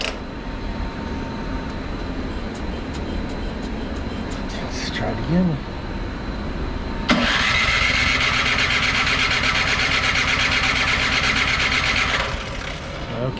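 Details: Craftsman 24-inch snow blower, 208 cc OHV engine, Huayi carburetor, barely used, gas added, choke on, primed five times, electric starter: steady whirring crank about five seconds, never fires; no start, carburetor found clogged.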